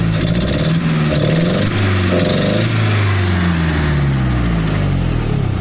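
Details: Nissan S12 with CA18DET engine after idle rework fix: engine settles to a smooth, even idle between short throttle blips, no misses or hunting; now sounds much better, further tuning planned. Normal idle.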